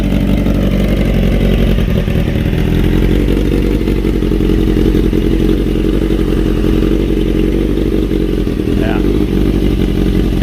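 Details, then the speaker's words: 30-year-old 1995 Honda CBR 600F3 with a new louder exhaust and dB cutter, warming up in the garage. Loud throaty exhaust with a steady deep beat and even firing through idle and blips, no knocks; normal idle and revving. "it's definitely a lot louder pipe, that is for sure. Sounds good though, sounds healthy."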